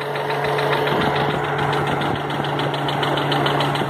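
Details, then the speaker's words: 1983 Subaru GL, EA81 engine, idling; owner suspects piston no. 4, coolant being lost from unknown source: steady idle with fast regular knock and rough exhaust note; deep internal engine knock, exact source unconfirmed. "That doesn't sound good. In fact, nothing on this car sounds good. It's fucking dying."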